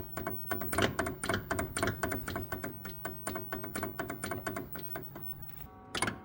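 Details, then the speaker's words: 1979 Mercedes W116 280SEL: sharp, hollow clunks in quick bursts, about two a second, as the wheel is rocked, with lots of play; worn steering coupling between power steering box and column shaft, its bushing completely disintegrated, before replacement. "And you can hear that clunking away now. So you can see here the play lots of it"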